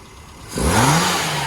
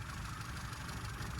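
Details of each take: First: So that is now running exactly as I'd expect it to. So at any point in the rev range, that's fine. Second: Standard 1100 engine with no vacuum advance unit: low, flat, lumpy idle. A strobe shows 41 degrees of advance at idle with no vacuum connected, so the ignition is over-advanced; the plan is to dial it back.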